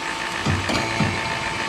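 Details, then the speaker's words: Vacuum pump, started cold, evacuating a reach-in freezer after compressor replacement: steady drone shifts briefly as the manifold valve opens, showing the hose is connected and pulling air normally. "You can test to see if the hoses are connected correctly, because when you open each side, the vacuum pump should change sounds a little bit."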